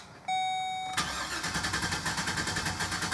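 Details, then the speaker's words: 2012 GMC Savana van, P0300 misfire, fuel trims -18 and -10, rattle noted, clear-flood cranking: starter cranks unevenly, some compression strokes weaker; first rotation sounded okay, suspected lifter/valve issue causing compression misfire. "The first initial crank. Yeah. The first initial crank sounded okay to me. Like the first rotation. It's like some kind of lifter issue."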